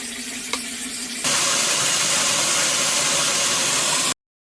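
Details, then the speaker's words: WaterBoss water softener after freeing a stuck pusher that kept the brine tank from filling properly: soft motor hum gives way to a loud steady water hiss, then pauses as the valve steps from rinse to refill; normal regeneration cycle change. "y est le cycle change encore maintenant on est en remplissage"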